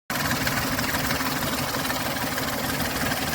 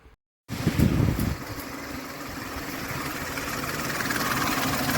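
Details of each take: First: Ford Explorer 4.0L SOHC V6 checked for timing chain/tensioner noise; even steady idle with smooth mechanical hum, no rattle or ticking from the engine front; no timing sound, engine running smooth. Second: Ford Explorer 4.0L SOHC V6 warm idle after about 15 minutes: light rattling, diesel-like clatter from the timing chain, absent on cold start, no misfire; replacing the tensioner did not help.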